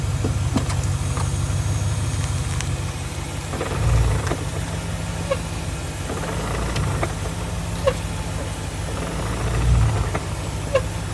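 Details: 2004 BMW 645Ci E63 with SMG gearbox: a few dull knocks as engine note rises when pulling away forwards or backwards, fine in gears 2–6 afterwards; owner unsure whether SMG gearbox, SMG cylinder, clutch or flywheel.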